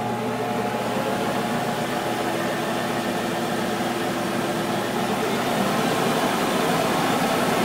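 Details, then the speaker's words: Monarch 10EE lathe on 240 V line (set up for 208 V) during refurb, spindle drive running up to 3000 rpm forward and reverse: steady even hum with faint motor whine, no knocks, pretty quiet; normal spindle drive. "000 rpm pretty quiet i gotta say"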